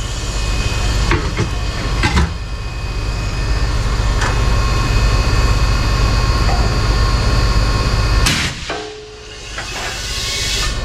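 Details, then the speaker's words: Case IH 75C tractor front tire: loud low rumble with sharp hammering pops, then a sudden blast and hiss as about 120 PSI air is forced in; bead seated properly. "what just happened there did it force a high pressure air into it or yeah yeah it just pushed in it pushed in about 120 PSI made it blow out sweet"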